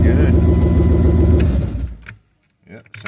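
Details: 1996 Jeep Grand Cherokee 5.2L with brand new starter, after battery ground terminal connector replacement that fixed slow cranking; quick, even cranking at three to four turns a second, catches and fires cleanly. Normal cranking and start.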